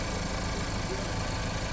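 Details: Auction-bought Ford Focus after repairing the engine computer harness and swapped wires, engine computer zip-tied due to a broken bracket: steady, even idle with a smooth low rumble and no knocks, misses or surging; normal idle.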